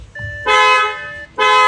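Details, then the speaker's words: Audi A8 just converted with new steering wheel and adjusted airbag harness, ignition on: two clean, strong horn blasts with door-open warning chime between; horn works normally. "Horn works okay."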